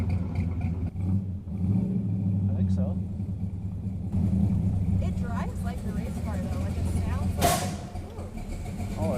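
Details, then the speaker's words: Plymouth Road Runner with freshly built big block on first street drive, earlier a cylinder down and high idle: lumpy idle rumbles, then a single sharp pop backfiring through the carb; tune-up suspected off, not confirmed. "just backfired through the carb. Is that bad? >> I mean, the tuneup probably isn't right."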